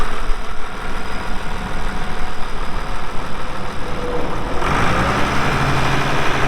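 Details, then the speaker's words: 1979 International 986 2WD cab tractor diesel, about 3,200 estimated hours (meter reads 2,321, not working), light use on ~50 acres: steady low diesel clatter at even idle, pitch settling after slight change, no knocks or misses; runs great, normal idle. "Uh so like I said, here in a little bit, we'll fire it up, let you hear the engine. It runs great."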